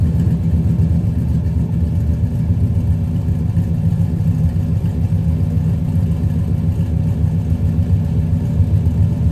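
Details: 1995 Chevrolet Impala SS V8 cold start after a driveway repair of the speed-bump-damaged muffler. It settles into a deep, steady rumble with an even beat and no rattles or leaks; the exhaust is sound.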